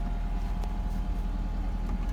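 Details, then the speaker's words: Mercedes 190SL idling just after a cold start with choke, after sitting several days with an ice-cold exhaust header; steady even low idle, no misses, knocks or ticks. Nice idle. "That is a nice starting and running car."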